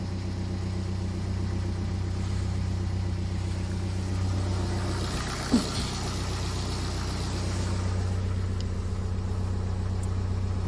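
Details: BMW E87 diesel idling after the shorted 5 V sensor behind the crank-no-start fault (codes 4680/41AA/4AFB) was unplugged: quiet, low, even idle holding steady speed for ten seconds, one brief thump aside; runs smoothly.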